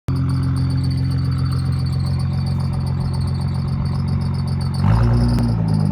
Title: GTR Squeaking Noise